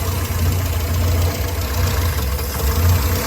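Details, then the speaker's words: Souped-up Morris Minor with SU carburetor during mixture tune-up, jet adjuster turned with 16mm spanner after apparently turning it the wrong way; low uneven idle lumping and sagging, almost stalling, mixture still not right. "I think I must have been cranking that the wrong way. So I'm going to go the other way. It's almost stalling on idle now."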